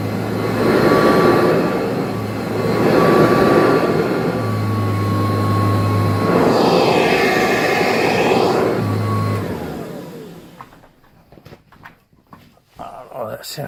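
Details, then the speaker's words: Kirby Heritage vacuum after replacing the cracked fan impeller: steady high whine over an even low hum, no rattle or scraping, clean spin-down; running normally. "it feels a lot better alright job well done just saved like 300 bucks"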